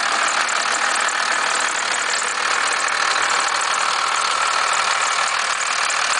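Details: 1991.5 First Gen Cummins 12-valve diesel at cold idle after a -10 cold start: a sharp rattling knock of about three per second. The source of the knock is not yet pinned down.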